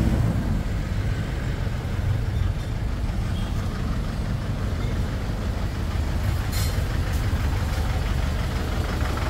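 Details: Ford Everest diesel smoking after another shop changed the valve cover gasket: low, lumpy chugging idle suggesting one cylinder not firing; pulling injector number two changes nothing; valve or rocker arm suspected, cylinder head check considered.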